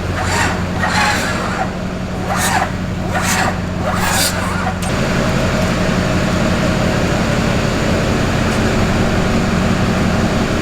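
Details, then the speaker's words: Duramax diesel swapped into K20 truck, first start attempt with air in fuel system: heavy slow cranking barely once a second, no firing; starter spinning engine too slowly. "yeah we're definitely spinning way too slow more power"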